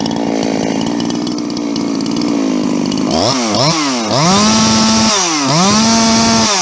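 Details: "Fugly 350", a Husqvarna 350 chainsaw with Huztl top end, back after months in use and field repairs including a gas leak: steady two-stroke idle, then sharp throttle blips to a clean held high rev; running healthy.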